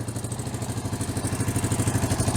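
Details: Hard-ridden Honda TRX350 Rancher ATV that smokes and burns oil, engine previously opened with silicone around cylinder: steady single-cylinder idle about ten beats a second with loose metallic clatter each stroke; air filter suggests it needs a top end.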